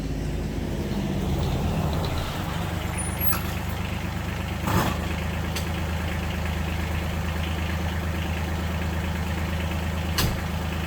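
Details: 2019 John Deere Gator XUV 865R diesel after new synchronous drive belt replaced burnt factory belt (jerky in high range, ~600 miles): low steady engine drone, no slapping, squeal or surging from belt drive; runs smooth and even.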